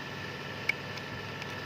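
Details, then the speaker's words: Toyota Grand New Avanza/Xenia integration relay bench test, negative applied to pin 7 and positive to pin 10: two faint, sharp clicks about a second apart over light hiss. The relay pulls in and operates normally. "maaf kalau nggak terdengar ya hari kalau saya merasakan ada suara detik-detik gitu ya"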